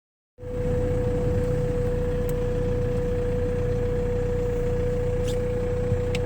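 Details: BMW E90 M Sport, 94k, sudden loss of power while driving: clear steady high whistle over the running engine; owner suspects the turbo has failed, with smoke from exhaust.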